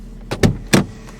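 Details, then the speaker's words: Ford Focus Mk1 with the engine dead and headlights on: sharp clicks come from the gear-lever solenoid as it snaps on and off without the brake pedal pressed, and the brake lights flicker. The cause is unknown. "happening is the solenoid is clicking on and off for some reason and it should only do that when you put your foot on the brake pedal"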